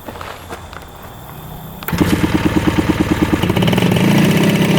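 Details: 1975 Yamaha RD200 electric-start two-stroke twin, barn-stored over 20 years, first start on 40:1 premix: a few quiet seconds, then fires into a crisp, even crackle on both cylinders, both hot, idling about 2000 rpm; running healthy.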